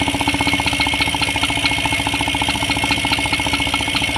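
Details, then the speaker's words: Yamaha NMAX 155 scooter idling with fan belt and rear pulley removed: fast sharp ticking knock in time with the engine persists, pointing to the engine; traced to a worn camshaft bearing. "Nah ini kan sudah murni Enggak ada fanbell enggak ada puli yang belakang kalau masih ada suaranya tek kuat dugaan dari mesin ngono loh area CPT sama seeda motor di depank Oh masih ada"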